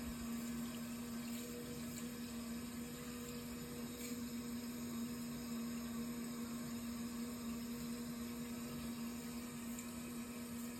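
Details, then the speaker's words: Hot-water boiler heating system being refilled after flushing sludge from radiators and boiler, all radiator valves closed: steady rush of water under a constant low hum, no banging or gurgling; filling normally. "so far so good sounds like it's filling up"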